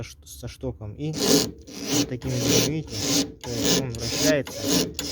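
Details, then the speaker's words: 1990 BMW E34 520, rear right, heard over speed bumps: a repeated rasping creak about once or twice a second. The shock rod is rubbing on a torn rubber top mount, leaving rubber shavings; the mount is being replaced. "опора порвалась а и соответственно штоком что катрет об сам опору появляются такая стружка резиновая"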